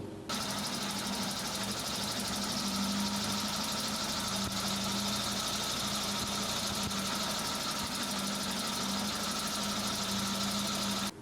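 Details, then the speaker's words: Suzuki Samurai petrol engine with failed fuel pressure regulator leaking fuel into its vacuum line, before repair: steady drone with thick rattly hiss throughout, rough over-rich idle from over-fueling; also hard to start when warm. "can you see through your Silicone tubes that you replaced a bunch of fuel bypassing the regulator that means that you have a bad fuel pressure regulator"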